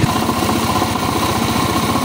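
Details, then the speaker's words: STX 125 single idling with a rapid, harsh, clattery pulse well above normal; excessive engine noise traced on teardown to a worn connecting rod with side play, side bearing to be replaced. "At mamaya yung STX, bangan nyo naman yun. Napakaingay na kanyang makina yung sa STX 125."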